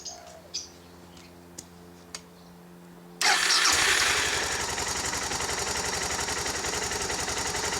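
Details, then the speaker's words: Suzuki DR650 single-cylinder motorcycle, cold start to warm oil before oil and filter change: catches instantly, starts easy, settles into even steady thumping idle; normal cold start. "Starts easy."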